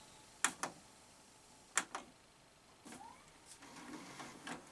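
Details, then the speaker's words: Panasonic NV-SV121 S-VHS deck, eBay unit with power supply fault and loading mechanism just repaired: on rewind, sharp clunks a second apart then a short rising motor whir; the transport seizes at first before rewinding. "It didn't want to rewind, did it? Is it going to do it now? Oh, it's doing it now. That was a bit strange, wasn't it? It seemed to seize up when I first tried to"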